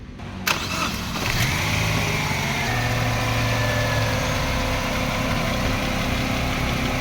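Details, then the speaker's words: Chevrolet Aveo manual, previously hard starting, low power, misfiring and shaking: after repair starter catches, engine fires and settles into steady, even idle with no stumble or vibration. "soan po mga nawala na yung vibration at ngayon titingan na natin kung hindi magshake during engine R natin"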